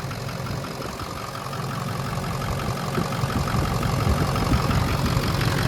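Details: Ford 6.0 PowerStroke diesel the day after a rebuild: deep, steady diesel rumble that grows slightly louder while holding an even rhythm, no knock or miss; clean normal idle.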